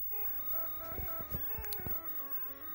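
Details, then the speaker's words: Williams pinball board set up as Stargate, after replacing a faulty 6810 RAM chip with a known-good one, in test mode: a clean melodic tune with no static. The sound board now plays correct Stargate sounds. "if I press the test mode button it's actually playing real Stargate noises and well little song"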